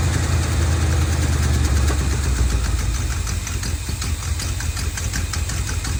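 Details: 1970 Dodge D200 truck, vacuum hoses plugged with screws: loud, rough idle that swells and sags every couple of seconds; surging, possibly lean after popping through the carburetor, cause unconfirmed.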